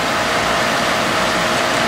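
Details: Steady, even hiss and hum with a faint constant tone and no surging or gurgling; pool pump just restarted after cleaning the basket and refilling the pipe, main drain opened, primed and running normally.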